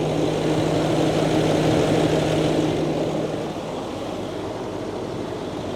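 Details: Range Rover L322 3.6 TDV8 diesel idling after a genuine OEM fuel filter replaced a leaking aftermarket one, no new leaks so far; steady even idle hum with no misses or knocks, normal idle.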